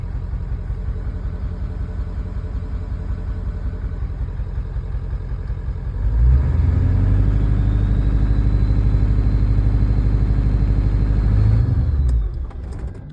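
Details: 1997 Ford F-250 Power Stroke diesel: low idle swells near six seconds, holds unevenly, then sags and dies around twelve seconds; hard start and stall, cause not pinned down.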